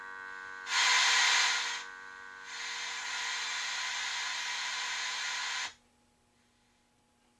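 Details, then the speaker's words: A 1978 Bally Midway Sea Wolf II arcade PCB under repair. A constant low buzz with faint fixed tones runs under the game sounds and persists in the quiet gaps. The cause is not yet found; the owner will study the schematic and the amp volume pots. "I want to know why that buzzing is always there is that"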